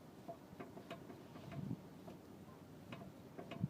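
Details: Mk5 VW GTI, parked, body rocked by pulling on the door: scattered dry ticks and short low creaks from the front wheel area. It happens every time someone gets in, on both sides.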